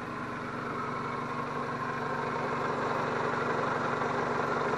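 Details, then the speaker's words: 2001 Toyota Camry after replacing a clogged catalytic converter that caused a rotten-fuel smell: smooth, steady idle with an even low rumble and no ticks, misses or rattles. Owner thinks it may still want spark plugs. "And she's a happy camper now. Listen to that. I think it could use some spark plugs, even though it runs okay, but now it sounds happy."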